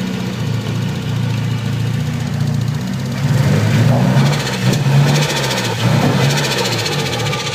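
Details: Nissan SR20DET with stage 3A, 555 Nismo injectors, Z32 AFM, AVCR boost controller, non-NATS ECU, also won't rev past 2,500–3,000 rpm: idle surges and sags unevenly with rough lumpy drone; irregular idle, cause unknown.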